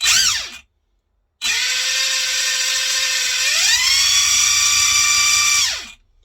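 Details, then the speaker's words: Arrma Infraction 3S brushless RC car driving forward: a loud, high, steady gear whine climbs with power, where it should be quiet. Owner suspects an over-tight rear diff, possibly the pinion/spur mesh. "That's forward, it's a racket, isn't it?"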